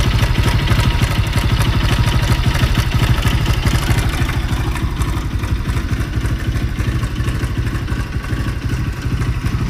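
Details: Bajaj Pulsar NS200 BS6 motorcycle at idle: steady idle with a dry, rapid clatter over the exhaust beat at about three per second; irritating mechanical rattle, cause unknown.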